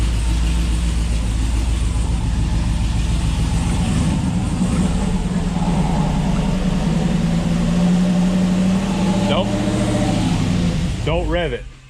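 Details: GMC Denali 6.2 V8 with a BTR stage 2 truck cam, 2800 stall converter and new headers and pipe, on its first start: deep, loping idle with an uneven chop of about three to four beats a second.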